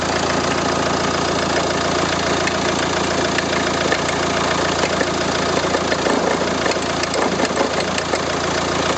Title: RENAULT Scénic I phase 2 1,9 dCi 105 - Bruit moteur suspect (2)